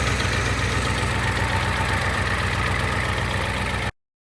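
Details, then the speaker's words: 1988 Ford 7.3 IDI diesel after turbo rebuild and reinstall, first start without starting fluid: steady, even diesel clatter at idle, regular firing, no misses or knocks; sounds good, a little smoky. "Took a little persuasion, but it started. No starting fluid, it just went. Oh, it sounds good. A little smoky."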